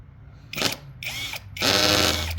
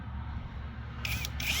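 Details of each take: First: New battery drill/driver, first use, driving screws into a 1.5-inch board at torque setting 8 of 20; short whirring bursts with rattly ratcheting under load as the clutch slips, fixed by switching to drill mode. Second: New cordless drill/driver boring pilot holes in a 1.5-inch board after switching from torque setting to drill mode: quiet, then two short bursts of high motor whine rising as the bit bites. Normal drilling.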